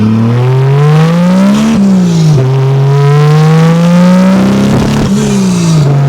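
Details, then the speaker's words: 2JZ-GE NA-T swapped MK3 Toyota Supra turbo, warmed up, on-road pull under boost: revs rise with stumbles and burbles, still breaking up but better; the misfire was finally traced to the wrong spark plug gap. "Ah, it still broke up. It was better. Still broke up some."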